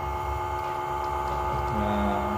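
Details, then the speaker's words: Homemade electric vacuum oil-change and brake-bleeder pump, test-drawing water standing in for crankcase oil: steady electric hum with constant tones, briefly shifting pitch as it pulls; pumps properly, works normally. "Nah ini ya, terjadi pemompaan. Jadi alatnya berfungsi dengan baik."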